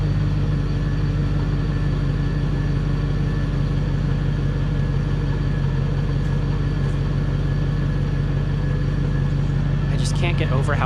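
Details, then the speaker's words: Restored 1997 Land Rover Discovery idling after restoration: steady even idle with a smooth low drone and no knocks or ticks; quiet and healthy. "quiet and smooth it is this thing just it's amazing what a difference"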